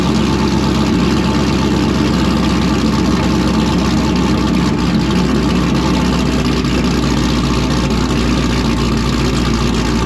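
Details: V8 with a blower cam and a base tune: a loud, steady idle with a rolling, slightly choppy beat and deep exhaust rumble, holding speed evenly; healthy, and it drops in out of gear nicely.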